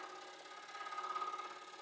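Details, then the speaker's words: Scroll saw cutting slowly with a thin, rapid chatter over a steady high hum. The chatter comes from the blade because it is very dull. "of the blade cuz it's so dull"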